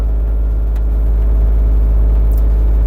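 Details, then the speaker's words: John Deere 27D mini excavator diesel at idle, heard from inside the cab: deep, steady rumble of about four even beats a second with no knocking; the owner says it runs great and seems to run really well. Normal idle. "Uh the heat's more likely to be needed, but um yeah, seems to run really well."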